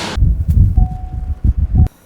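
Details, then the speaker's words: Kia or Hyundai car just towed in, owner reports a new noise never heard before and a flashing warning; low uneven throbbing thumps a few times a second then cut off; mechanic suspects a cable out of place; throbbing noise. "He said that noise, he said, I've driven this car and never had that noise."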